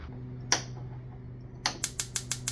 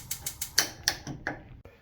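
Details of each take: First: Jenn-Air CVG4380 gas cooktop, six-burner (left grill converted to burners): after replacing the failed igniter and fitting a new female disconnect on its wire, crisp evenly spaced spark ticks about six or seven per second over quiet room hum; igniter sparking properly. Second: Old-style Jenn-Air CVG4380 gas cooktop: left burner igniter clicks about four times a second but the burner never lights, while other burners fire right up; failed igniter, which was replaced.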